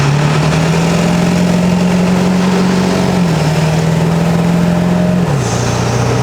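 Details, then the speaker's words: 7.3L Powerstroke diesel with 175cc/30% injectors on Gearhead number six tune at quarter to half throttle: deep drone rises steadily, then drops at the shift, no misses or knocks, clean running with little black smoke. Normal part-throttle acceleration. "that was about that was only about a quarter or a half throttle guys I mean she rips"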